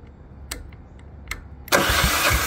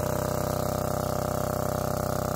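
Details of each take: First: Lombardini 15LD400 401cc single-cylinder diesel 7 kW generator built 2004, barn find, fresh battery on electric starter: steady cranking about two compressions a second with weak firing puffs that never catch; cranks but won't start, starting fluid next. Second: Lombardini 15LD400 diesel generator, barn find with electric start, oil checked, on a temporary fuel tank. Loud, even chug at constant speed with regular firing pulses, no knocks or surging; normal running.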